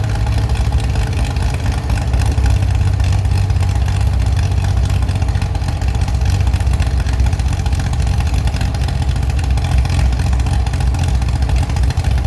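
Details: Chevy SS straight-six restoration engine with a non-original cam, running after the fuel level was lowered: even, steady low idle beat with clean, quick response to blips, no tapping or stumbling; healthy.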